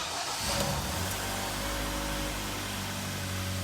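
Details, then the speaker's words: Kia Sportage G4KD, restyled, AWD, after rebuild for deep cylinder scoring, first start in neutral with oil pressure: steady, even idle, no knocks, ticks or misfires, no errors; normal idle, to be warmed to operating temperature. "все пошло всё хорошо заработало работает ровненько вообще без посторонних шумов и тому подобное ошибок никаких нету не троить ничего"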